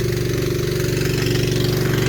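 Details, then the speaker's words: Honda 8 hp small single-cylinder engine on a man lift, running fast and fairly steady with a slight uneven pulse in the beat; owner thinks the carburetor needs cleaning; rough running. "Sounds like I need a carburetor cleaning, don't it? It's a Honda 8-horse."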